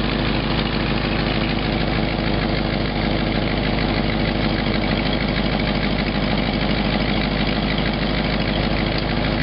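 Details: 1952 Packard older petrol engine idling steadily with a sharp puffing tick on each firing pulse: exhaust leak.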